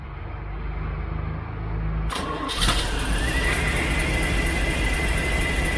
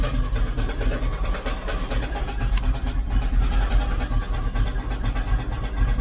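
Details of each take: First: 1972 Chevrolet C10 shop truck V8 with an electronic tuner, while setting timing: cranks, catches and settles into a steady, even idle, slightly fast while warming up; runs healthy. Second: 1972 Chevrolet C10 shop truck V8, first start, 60 psi oil pressure: steady low idle with rough scraping rub from bellhousing as flexplate catches the inspection cover lip.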